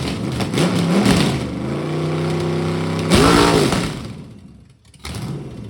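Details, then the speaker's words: Freshly rebuilt budget Ford 302 V8 on a stand, no coolant, first runs, timing set around 12 degrees, 16 in vacuum, camera outside: healthy V8 rumble with crisp throttle blips rising and dropping cleanly; runs good and snappy. "That should give you a good idea what it sounds like. Sounds good. Seems to run good."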